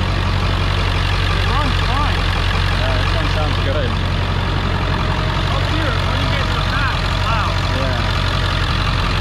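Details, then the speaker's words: Work truck bought at auction, idling: loud deep rumble with a raw uneven exhaust note, louder than stock; exhaust leak from a big hole in the muffler. "is it missing the muffler [Applause] big old hole in the muffler it's got a big hole in the muffler"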